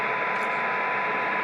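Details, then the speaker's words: Deaf Motorola M120 (GM300 variant) radio during receiver troubleshooting, with the test signal stepped down to 0.2, 0.14 and 0.1 µV. An even, steady hiss with no signal breaking through; normal receiver noise floor at its sensitivity limit. "there's point two micro volts there's point one four until that's at that point it's almost entirely noise and point one is entirely noise"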